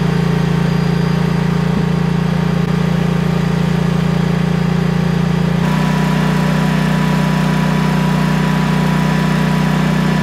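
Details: Briggs & Stratton-engined Vanguard 10,000 W generator after repair, refilled with ethanol-free gas: smooth, even engine drone at constant speed with no surging or hunting, running steadily as it should.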